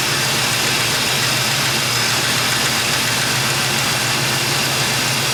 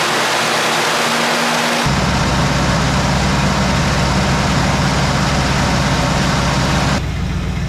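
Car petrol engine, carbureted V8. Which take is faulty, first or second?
second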